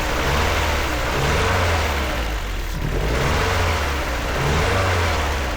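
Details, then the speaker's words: BMW E36 pulled from a field, first run: engine revving up and down with an uneven, stumbling beat; misfire confirmed, a massive vacuum leak at the intake boot found, parts on order. "Well, it doesn't sound great, but it does run. I don't hear any [Applause] like terrible engine noise either. And it kind of sounds like it has a little bit of a misfire."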